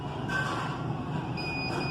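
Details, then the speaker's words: DVR (digital video recorder) beeps continuously with a thin, high, steady electronic tone over low hum and is not recording, despite restarts; HDD self-test shows read operation failed and 2 bad-sector errors, indicating hard disk failure. "The person is complaining that this DVR is beeping all the time, although he has applied all the remedies like restarting the device, etc."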